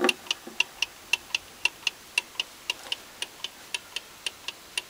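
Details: British-made Venner wind-up time switch, 15 A 250 V, probably early 1970s, hand-wound: crisp, even ticks about twice a second in a quiet room; the clockwork runs cleanly.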